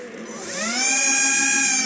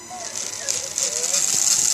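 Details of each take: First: TXT1 gearbox, partially disassembled: smooth whine spools up and holds steady at high pitch, no clicks, grinding or rattle; no abnormality. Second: TXT1 gearbox, gear noise from pinion mesh: small motor spins to steady high-pitched whine with gear mesh singing; owner thinks pinion backlash is about right but will try adjusting it, cause unconfirmed.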